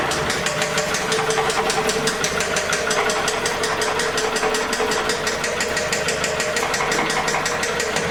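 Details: 2006 Toyota Camry 2.4L: sharp, steady knock about five times a second over the idle; knocking high-mileage engine being replaced, worn bottom end suspected, not confirmed.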